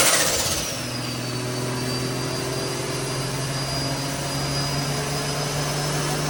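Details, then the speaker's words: Nissan R34 on dyno at about 9 psi: turbo engine pulls hard with a climbing tone that wavers as the wastegate lets boost bob up and down 1–2 psi; 9 psi wastegate spring too soft for the high-flow R-Tech manifold. "Alrighty, so on that pull, I don't know if you guys can hear it in the video, but the wastegate kept going up and down 1 or 2 pounds."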